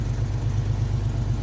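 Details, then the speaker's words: Chevy S10 with carburetor, still flooding slightly, after vacuum leak fix; warm engine idles smooth and even at about 950 rpm with no misses or hunting, normal idle. "right about where we're supposed to be, about 950."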